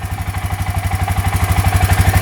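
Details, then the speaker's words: 2003 Suzuki Eiger 4x4 ATV just started: quick, even putter about twelve beats a second with no knocking, a smooth healthy idle; the machine still won't move when shifted. "oh yeah she fired right up so you can hear it sounds pretty decent no rather than going on no knocking"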